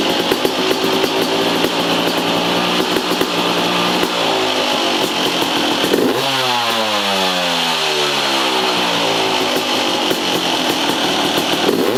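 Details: 2003 Yamaha YZ250 two-stroke dirt bike, exhaust silencer repacked with $5 Home Depot fiberglass insulation, camera in the same spot as the before test with a fan running: crisp revs rising and falling smoothly over fan hum, tight note without rasp; sounds much better than before.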